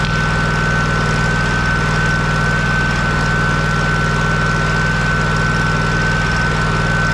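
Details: Kohler CH750 twin in a Miller Trailblazer 302 AirPak welder, just after repair including ignition magneto gap setting at flywheel: smooth, even beat at steady speed with constant generator hum on top; runs clean, no misfire.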